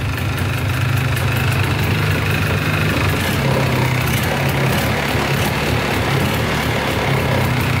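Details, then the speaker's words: Polaris 400L 4x4 plow ATV, 400cc liquid-cooled two-stroke: buzzy steady idle, sounds good for a two-stroke; the light rattle on top is the exhaust, whose mount is broken and needs welding; smoking out the back. "For two-stroke, sounds good."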